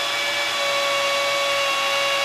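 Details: Second drill spinning the oil primer on a 200 straight-six being primed with 20W-50 break-in oil, after the first drill slipped: steady even high-pitched motor whir, constant pitch, no stumbling, running smoothly.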